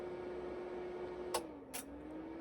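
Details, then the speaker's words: 5.1 digital amplifier changing inputs (USB, Bluetooth, FM, AUX): two crisp relay clicks about half a second apart over a faint steady hum, with no thump. The relays cycle off and on during switching so no voltage surge reaches the speakers; normal. "అంటే ఇక్కడ మీకు switching అయ్యే time లోని మీకు relays of అయ్యి on అవుతున్నాయి"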